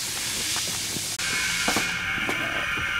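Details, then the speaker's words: 2002 Ford F250 7.3 Powerstroke turbo diesel on a homemade boost leak tester, with pressure raised from about 9 toward 20 psi. A steady high hiss that changes note with pressure comes from a leak at a coupler; the main leak was thought to be a rubbed-through plastic boost-gauge fitting. "sounds like a leak. Man, that sounds like a huge leak."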